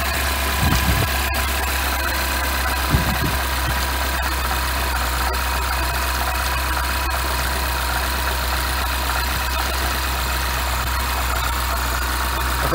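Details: Freshly built N14 Mini Coupe R58 JCW, donor block with Wossner oversize pistons, ZRP I-beam rods, OEM chains, oil and water pump, first start: even, steady low idle, smooth hum, no top-end ticking; healthy.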